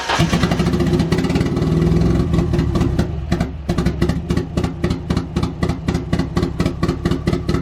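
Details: Nissan 240SX KA-T on its first start after the engine swap, on a standalone ECU: a rough, uneven idle with irregular stumbling beats under a lumpy drone. Misfire from no spark in certain cylinders and early tuning issues.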